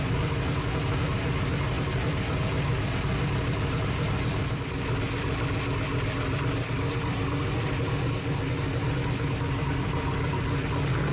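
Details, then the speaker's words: New 18-degree small-block Chevy in truck after first fire-up, timing rechecked, lower compression: steady even idle with crisp regular exhaust beat, no misses or knocks; sounds healthy and snappy, about 190 degrees, normal idle. "but i was very surprised this thing sounds really good and really snappy"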